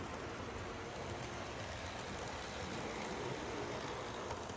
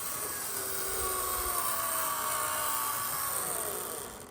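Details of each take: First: Conrail HO scale model locomotive (Concor) after its gears wore in with use: soft, even motor whirr with faint ticks and no gear grinding; now pretty quiet compared to before. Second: Conrail GP40 HO scale model locomotive from trains.com, possibly never run except the seller's test: thin, high, steady motor-and-gear whine that fades as it stops; a little loud, likely gears breaking in.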